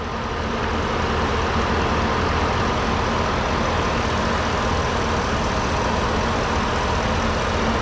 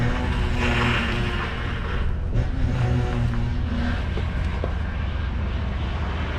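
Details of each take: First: Ford F-150 with oversized aftermarket power steering reservoir, idling about 10 minutes after fluid service: even, steady low idle, no more pump noise, cavitation or bubbles; power steering healthy. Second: Ford F-150 with oversized power steering reservoir, running after fluid refill while cycling the steering: low wavering groan over the engine, rising as the wheel is worked; air bubbles in fluid making pump cavitate, quieting as air vents.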